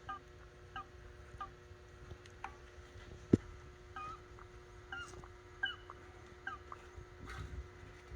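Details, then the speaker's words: Small engine that won't start, fuel problem suspected, primer bulb empty: short high rubbery chirps about once a second as bulb is pumped, engine silent; squeak possibly a leak or just the fuel vent, unconfirmed. "I can hear it squeaking somewhere."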